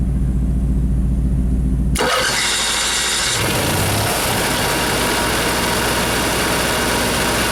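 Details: Motorhome (possibly its generator) after fixing bad chassis-battery grounds that caused erratic gauges and dead jacks, owner unsure it would stay running: about two seconds of cranking, catches cleanly, steady even idle; normal start and idle.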